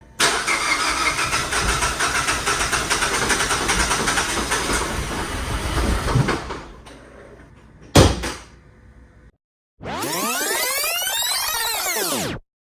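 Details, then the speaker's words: 2021 Mazda CX-5 2.5L towed in after a DIY spark plug and ignition coil replacement: the starter churns steadily for about six seconds with no catch, a crank-no-start. "This car just got towed in to me and it has what I call a crank but no start condition. You could crank the car to to to to to to. It'll eventually try to start, but it just doesn't."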